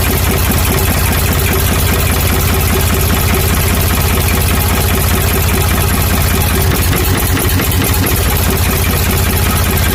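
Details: Ford 555 backhoe diesel after head reinstalled and retorqued, fuel system bled through filter, injector pump and injectors: steady, even low chugging at idle with no misses, stumbles or knocks; runs cleanly.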